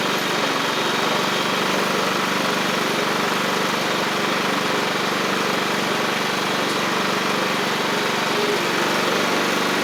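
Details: Free John Deere L110 riding mower after fuel pump replacement; the old pump flooded the engine, likely because its cam lobe kept it from closing the check valve. Steady, even small-engine drone with no misses, surges or knocks; normal running.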